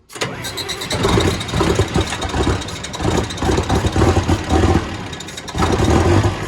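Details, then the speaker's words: John Deere diesel tractor, not-so-cold start on a 78° day: long cranking churn before it catches and settles into a lumpy idle; slow, reluctant start, typical Deere hard starting. "typical deer hard starting but we got a solution for that"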